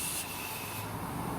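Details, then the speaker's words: Forklift Hydrovac brake system, compressor-fed pressure bleeder set to about 12–15 psi: a soft steady hiss with no rhythm and nothing mechanical behind it; air is leaking a little through the bleeder cylinder. "okay but it's it is now pressurized it's actually leaking a little bit through the through the cylinder here"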